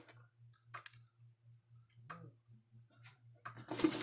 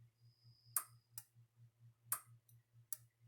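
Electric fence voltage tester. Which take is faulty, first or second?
second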